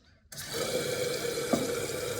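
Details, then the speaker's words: Toilet tank starting to fill by itself with no flush, a phantom refill: sudden steady hissing water flow, then it stops, recurring every hour or two. Common cause is a flapper not sealing squarely on the flush valve lip. "Now, have you ever had the problem where your toilet randomly starts filling up and then it turns off, and then maybe an hour or two later it starts all over again, does the same thing, it fills up and then it turns off?"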